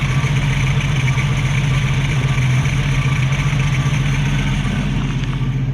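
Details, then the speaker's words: 1965 Mustang straight six, Autolite 1100 carburetor, after an idle fix, with timing good and choke working, won't stall on throttle: steady even low rumble at idle, no misses, knocks or hunting; healthy normal idle. "good idle the timing's good the choke looks like it's working properly now"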